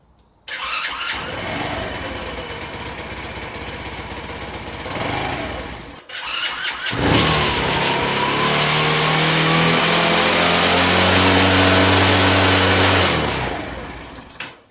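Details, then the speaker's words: Honda C90 with a replacement OO Racing 19mm PB-style carburettor, full choke: cranks, catches, stalls, refires and holds a fast race; high idle because the throttle cable has no free play. "So, we haven't got enough free play. I thought that might be the case. What a bloody pain in the neck."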